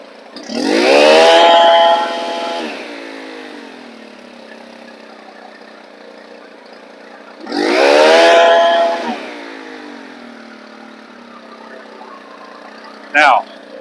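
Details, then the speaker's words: Stihl FS 110 4-mix four-stroke engine with a crank seal air leak: two quick revs to high rpm, then the note sags slowly for a second or two before it settles to idle. This is a delayed return to idle. "i'm going to rev it up and i'm going to let it come to idle and listen for how long it takes for it to come to idle [Music] do you hear the delay in the idle"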